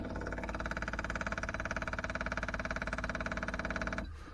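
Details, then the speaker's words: Daytona 4WD, new temporary fuel system with lift pump, surge tank, booster pump and adjustable regulator: electric lift pump switched on gives fast even buzzing whir pulsing about three per second, then cuts off cleanly; priming normally. "all right let's see if I can turn the lift pump on that's going to be obnoxious oh yeah look at that second fuel one kick"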